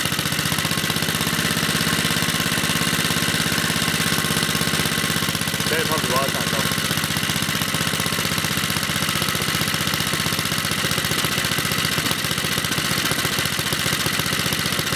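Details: Old Briggs & Stratton 2 hp lawnmower engine after moving a ground wire that had touched the carburetor body and made it die: steady, even running with a smooth unbroken note, no misses or knocks; normal running.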